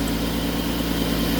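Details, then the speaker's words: Petrol engine at idle after spraying Blaster to test a startup squeal: steady, even low hum with no belt squeal, noise stopped. "you see there is a normal sound okay because when there is a sound it could be this one or the bed"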